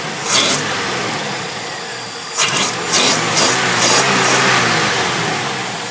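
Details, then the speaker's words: 1960 Ford Zephyr Mk2 with electronic ignition, high-power starter and heat-adjusting fan: fuel pump audible, short cranking burst, catches right away, settles into smooth even idle; lovely-sounding, torquey engine, healthy start. "starter it's a lovely sounding engine it's got lots of torque and I'm really going to miss driving up"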